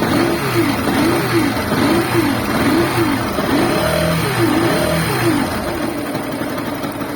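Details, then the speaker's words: Running motorcycle engine with a wavering, bearing-like whine resembling a bad clutch bearing, rising and falling with revs; noise disappears when stator connector is unplugged and returns when reconnected: stator/charging circuit noise. "Desconecta aí o conector do estator, vai. Cadê o barulho, pessoal? Vou botar de novo aqui, ó. Ó, voltou o barulho, ó."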